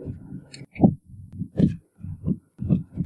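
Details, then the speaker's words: 2007 Chevrolet HHR LT: deep, hollow clunks in uneven bursts when driving over bumps and uneven road, from worn sway bar links and bushings. "This 2007 Chevrolet HHR made a sharp knocking or clunking noise when driving over bumps."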